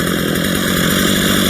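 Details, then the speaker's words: Stihl MS 230 chainsaw after tune-up, idle speed screw adjusted up from slightly low: small two-stroke engine idling at a steady, buzzy pace with no stumbling or surging. "The idle speed was a little bit low. Get the uh screw in. Now that sounds like a better idle"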